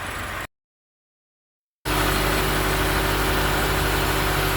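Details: Taxi engine after replacing broken lifter (tappet, broken spring, roller without oil) that caused a tac-tac noise: steady, even idle with light regular beat, no ticking or knocking; service complete, engine sounds healthy.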